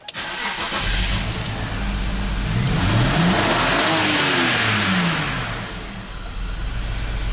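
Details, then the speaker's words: BMW X5 at wide-open throttle with lean codes: revs climb unevenly with a severe, stumbling misfire. Swapping in a known-good mass airflow sensor changed nothing; fuel pressure is suspected but the cause is unconfirmed. "it is such a severe misfire and it just doesn't make sense you know fuel pressure would be a big problem but definitely new mass airflow did not change anything at all"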